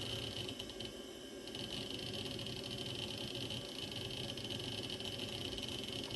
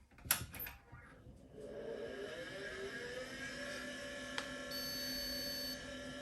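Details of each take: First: Osborne 486 DX2/66 PC booting: the old hard drive gives a constant high whine over a hissy hum, with bursts of seek chatter. Unusually loud drive, cause unknown. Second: Osborne 486 DX2/66 PC, used in a business and fitted with an ISA network card and a sound card, switched on: a few clicks, then the fan spins up to a steady low hum with a faint whine. Normal power-on.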